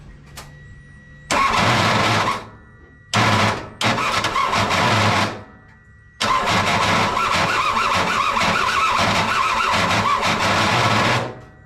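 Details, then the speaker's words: Same revived kei truck after letting the starter cool and cleaning wet spark plugs: repeated harsh, gritty grinding bursts over the starter whir, no catch. Starter grinding is suspected from a rusty flywheel ring gear and the missing top starter bolt. "Again, I think that noise is a combination of our flywheel being a little bit rusty, like our ring gear, and us not having that top bolt for the for the starter."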